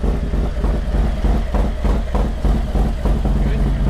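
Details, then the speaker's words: 2022 Harley Road Glide Special on first start after Screaming Eagle cam, upgraded oil pump, intake, injectors and tune, oil pressure confirmed: deep, lumpy, raspy and sharp but even idle about three beats per second; normal. "sounds good nice I like it he do you hear a different Rumble to it oh yeah yeah and it's is it a longer it's uh it's definitely a more raspy and a sharper wrap"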